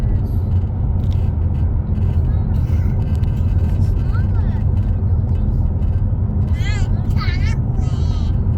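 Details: Toyota Camry while driving: a steady, low buzz under the road rumble, coming from the dash cam or its power supply. Cause unclear.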